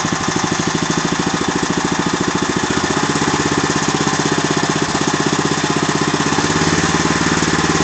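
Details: Agros walk-behind tractor (motoblok) single-cylinder engine running steadily with a sharp repetitive knock on every firing beat; the owner does not know the cause of the engine knock.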